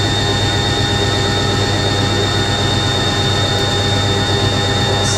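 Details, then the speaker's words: Washing machine spinning at 500 RPM, motor deeper than an A3060; steady deep hum with smooth, even whirr, little shaking, no knocking or rattling; normal spin cycle. "sounds so good. Notice the motor sounds slightly deeper than the A3060. I'm actually amazed that that's not shaking much. That's 500 RPM."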